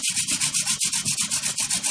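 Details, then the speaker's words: Hand drill fire-making, new prickly lettuce spindle on a western red cedar base: squeaking gives way to rhythmic dry rasping with smoke once friction builds; steady friction grinding. "for the sound change the sound has changed so now we have friction you can see it's starting to smoke rotations and speed"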